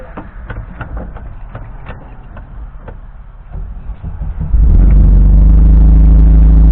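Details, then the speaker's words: 1971 bus engine on first cold start of the day: loose starter cranking, then it catches into a strong, even low rumble that holds steady. Engine's great; owner suspects a separate transmission bearing issue. "Engine's great."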